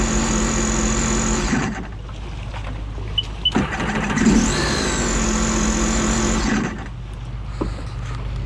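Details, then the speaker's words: Rebuilt 300 engine (timing chain repair) in a personal watercraft, first water test idling under load after install: steady, even idle and smooth revs with no knocks or misses, no leaks or check engine lights; healthy. "sounds good to me it sounds good we out"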